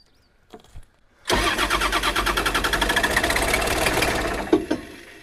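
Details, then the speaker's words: Long-neglected small diesel excavator, glow-plug switch seemingly frozen: even cranking at about four turns a second that never fires. A safety switch is suspected, and ether is considered. "well she sounds like she wants to go i'm warming up with glow plugs okay i mean she get right there you know and she'll get right there i wonder if it's a safety switch"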